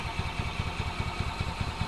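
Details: 2005 Club Car Precedent gas golf cart (intermittent start, runs only on full choke): steady chuffing about five beats a second while cranking, never catching, after the fuel was drained. Owner suspects a degraded fuel pump diaphragm giving too little suction.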